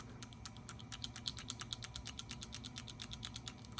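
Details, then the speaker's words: Graco 3900 LineLazer pump intake valve after rebuild with a new nylon O-ring, spacer, lower ball and cage: light, crisp, quick uneven clicks as it is shaken; the check ball has free play as it should, so the pump can engage properly. "you should hear that ball move around. There should be play. That allows the pump to actually engage properly."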